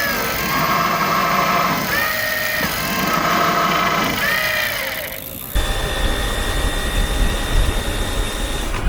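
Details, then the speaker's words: E-bike geared hub drive motor with clutch slipping under load: motor whine rises then drops out in repeated bursts as the drive catches and lets go. "Or you might just get slipping under load like these examples."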